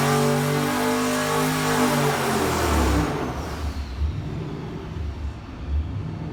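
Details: Junkyard 5.7L Hemi with S475 turbo, long-tube headers, Comp stage 4 cam, 80 lb injectors on dyno, run with boost raised from about 7 psi. Strong rising pull to high revs, then a clean lift-off and wind-down with no misses or knocks; healthy boosted V8.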